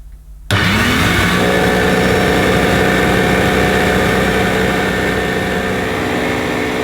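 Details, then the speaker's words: Electrolux 550 upright vacuum cleaner switched on: whirs up to a loud steady hum with rough, buzzy vibration; motor suspected, brush roll bearings possibly contributing: rough vibrating vacuum motor. "now yeah yeah that's rough that that does sound rough and quite uh vibratory if you know what i mean"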